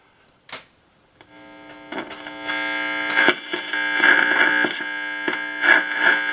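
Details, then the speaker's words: 1965 Nordmende Transita Automatic AM/FM/shortwave radio, signal tracer on diode D6 in the FM detector AFC circuit: crackling, sputtering bursts over a steady buzzing hum; diode noisy on one side, to be tested or substituted. "diode that diode is very noisy on one side so maybe I'll take that diode out and and check it or substitute another one"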